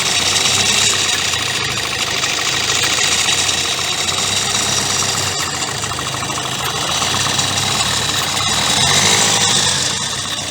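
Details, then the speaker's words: 2016 Kia Sportage 1.7 CRDI diesel, warmed up, idling with phone close under hood: busy metallic rattle about three per second over the clatter; timing chain suspected, unconfirmed; accessory belt and pulley already replaced, noise worsening over time. "just make sure you warm up the engine properly before because that's when probably you experiencing this type of noise from the engine"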